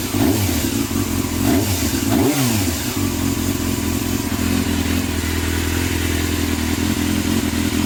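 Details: Yamaha Thundercat first start after carb overhaul with new float needles and seats for leaking float valves, fuel pump disabled, choke on: smooth, even multi-cylinder run, picks up cleanly on blips; no misfire or stumble.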